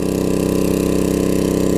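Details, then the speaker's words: Coleman 1500psi pressure washer, Tecumseh engine with donor carb from junk engine, washing sidewalk: steady even single-cylinder drone, no misses, surging or knocks; healthy under load. "hopefully it does well it looks like it's doing okay like I said it's 1500 psi it's not really designed to wash sidewalks and stuff with so"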